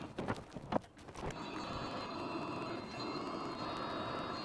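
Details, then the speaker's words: Hcalory 12V 5kW hydronic Chinese diesel heater running on petrol, restart after cooling to 65 degrees with glow plug on: a few clicks, then burner lights and settles into steady even roar with fan whir; clean start. "Well, there you go, restarted on petrol without any issues."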